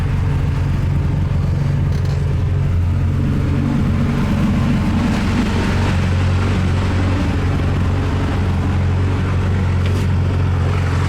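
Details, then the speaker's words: Carbureted Toyota 2T-G Celica warm after a drive and five minutes idling, temperature holding about 80°C thermostat level with new radiator and oil cooler: idle steady but slightly high because the carbs are not yet tuned or synchronized. "The idle is a bit high, as you can hear, but it's not really a problem."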